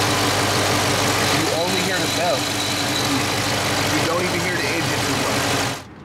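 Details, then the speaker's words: Dodge Charger 392 HEMI V8 (Scat Pack) idling on startup: deep, even idle with a steady low rumble and only a faint light tick, no crazy ticks; normal healthy engine (these can suffer lifter failure). "so that's what a normal 392 engine should sound like six two six four they all sound pretty much the same they should sound like that there shouldn't be like too many crazy ticks coming from it"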